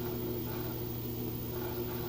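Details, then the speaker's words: LG high-efficiency top-load direct-drive washer with TrueBalance, extra-heavy load of towels and jeans, final spin draining water: steady even motor hum, no shaking, bumping or knocking; normal spin cycle. "it's not shaking or bumping or anything like that it's kind of surprising I'm not getting any movement out of it considering how heavy that load was"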